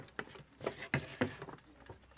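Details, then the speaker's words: Light, steady ticks in a quiet room from a Smiths alarm clock that only needed its balance cups cleaned; the movement now runs freely. "you can hear is ticking at the moment and all it needed really was a bit of cleaning on the balance cups so that was good"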